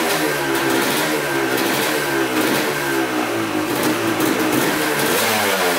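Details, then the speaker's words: 1986 Honda CR250 two-stroke, sat over five years, blipping the throttle during a 10-minute run: a crisp note picks up cleanly and settles evenly. Oil is mixing with coolant (water pump seal suspected), but it runs perfectly, so the owner rules out the head gasket. "it's actually oil and coolant which sucks because the bike runs like perfectly so it's not a head gasket problem"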